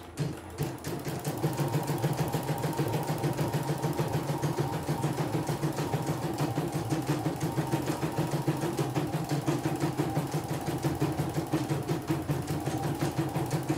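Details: CNY E900 embroidery machine repaired for an unresponsive touchscreen, cleaned throughout, test stitching: fast, even rhythm about three per second over a steady motor, no knocks or slipping; good result, running normally.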